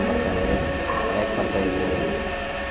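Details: LG microwave with cabinet opened: loud steady droning hum with a rough rumbling underneath from the fan motor; dust particles on the fan motor cause the noise.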